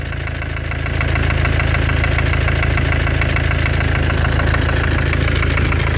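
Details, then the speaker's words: 2014 Mercedes with OM651 biturbo diesel, 300k mileage, at idle: a regular knock about three per second over the clatter, like a small hammer, near the turbos, the same cold or hot; still driven at 5,000 rpm; cause unclear. "Где-то вот она вот тут вот рядом как будто молоточком кто-то чуюхает."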